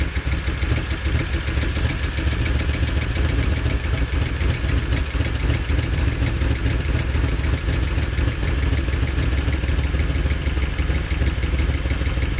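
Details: 2013 Chevy Tahoe police V8 with code P3401 and valve cover off, heads recently replaced. Lumpy, stumbling idle with a clatter over a low rumble. Engine misfire at idle.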